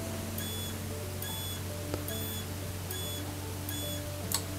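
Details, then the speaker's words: Three-phase TDR DIN-rail LED power supply with output short-circuited: short high-pitched squeal bursts repeating about every 0.8 seconds as protection cycles; returns to normal when short released. "robimy zwarcie zasilacz piszczy Ten akurat wydaje taki pisk widzimy jak to wygląda A teraz Przytrzymaj dłużej teraz przerywa mamy taki przerywany pisk"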